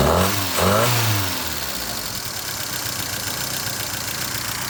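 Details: 1978 Fiat 124 Spider: brief blip of revs, then settles to an unsteady, loping idle that never evens out; rough idle, cause unclear.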